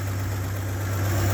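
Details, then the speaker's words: Old truck, either the 1967 GMC panel truck or the 1978 Ford F-350 ex-U-Haul, idling with the choke pushed in after a hard start: low, smooth, even idle with no knocks or stumbles. Normal idle. "Oh yeah, listen to this old girl just purr."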